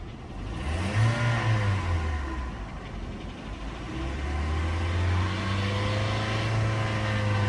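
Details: Hyundai Elantra at auction idling and revved with the hood open: a faint, quick tick that grows louder with revs, not from the belt or exhaust, probably the engine valvetrain, cause unknown.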